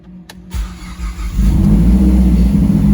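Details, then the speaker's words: Mazdaspeed 3 being brought back to life, first start after fuel priming: brief crank, then it catches cleanly on the first try and rises to a strong, even idle; normal start. "there we go there we go wow hell yeah i am so stoked and fired up"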